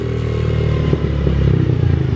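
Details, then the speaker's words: Small single-cylinder engine after a throttle blip: keeps running at a fast, steady idle instead of dropping, and the idle sometimes climbs or surges. Owner suspects something sticking in the carburetor. "Something's going on with the carburetor because when I give the gas like this, look at that. Something sounds like something's sticking. Look at that. It doesn't. The idle doesn't drop."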